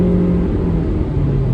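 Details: 2012 Suzuki SX4 AWD CVT after repair: smooth even low rumble at road speed, no rhythmic thumping or droning vibration; driveline fixed, slight clicking is camera mount.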